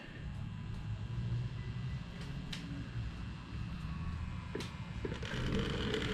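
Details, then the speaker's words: Vintage turntable after a belt replacement, fed into the receiver's front auxiliary analog input with no ground cable connected. A steady mains buzz plays with no music getting through; the missing ground is suspected, not confirmed. "So you can hear immediately like a buzzing noise, but at least we got something."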